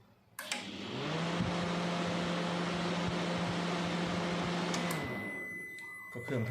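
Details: Sharp R-241 microwave brought in not powering on (blown fuse suspected), run while testing the control board and relay: steady, even low hum for a few seconds, then stops; running normally.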